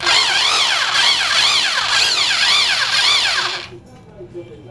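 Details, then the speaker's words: 550 W hammer drill after repair: old grease that had turned liquid with age cleaned out and replaced, reassembled; run in hammer mode, high motor whine rising and falling with trigger, smooth, no grinding or rattle; normal hammer-mode operation. "Smoothly sound আছে, দেখলে বুঝতে পারবেন। শুধু হ্যামারে দিচ্ছি,"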